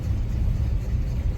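Cold engine idling with a deep, uneven rumble that keeps surging and dipping instead of settling; a rough cold-start idle.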